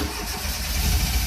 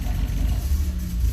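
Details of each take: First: Fiat X1/9 Bertone with hot-rodded aftermarket cam gear, pedal floored as owner suspects flooding: steady low churning cranking, no firing; crank no start, later found base ignition timing too retarded, owner also suspects dry-fouled plugs. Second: X1 engine with an advanced aftermarket cam gear and fifth injector unplugged, after increasing base timing: catches quickly, revs cleanly and drops back with an even note, no misses. Lack of base timing was the no-start cause.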